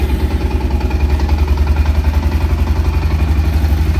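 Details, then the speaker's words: Used automatic ATV with about seven thousand miles, at a check-over: a steady, even low idle thump from the small single with no misses or knocks; it starts and idles cleanly. "one idle beautiful no problem"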